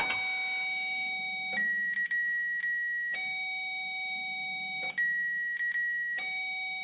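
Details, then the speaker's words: 2007 Ford F250 with no-crank problem, Power Probe on starter S terminal: tester's steady tone jumps higher each time key is turned to crank, showing 12 volts reaching the starter trigger wire. "okay that that's change in sound lets me know that we are getting 12 volts there or at least 12 volts there"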